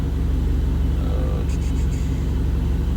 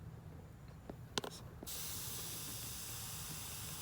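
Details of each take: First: Freshly built Mitsubishi Eclipse GST turbo engine, idle surge from vacuum leak fixed after boost leak test and BISS idle screw adjustment at normal temperature: steady low idle near 1000 rpm, no hunting or surging. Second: Mitsubishi Eclipse GST with freshly built engine and idle surge, intake leak test: steady airy hiss starting suddenly with no rhythm, air through a cracked old rubber vacuum port on the throttle body; vacuum leak.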